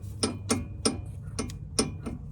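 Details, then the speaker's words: 2004 Toyota Highlander driver's-side sway bar link rocked by hand; sharp metallic clicks about every third of a second from free play at top and bottom link joints, source of the suspension clanking. "basically there is a bolt at the top and the bottom on the sway bar links and both have slight free play on both sides of the suede links and that's where the loudest clanking noise is coming from"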